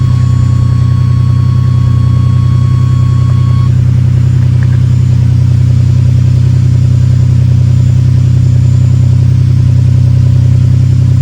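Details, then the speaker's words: Ferrari 456 V12 at cold-start idle with a random misfire, run before new spark plugs are gapped and fitted: a low idle hum with a faint uneven pulse and slight vibration, less shaky than before. Rough idle with vibration, misfire suspected. "right now it's feeling like it's not horribly shaky but I do feel kind of like a little bit of a vibration in the car and before it was like quite a bit worse"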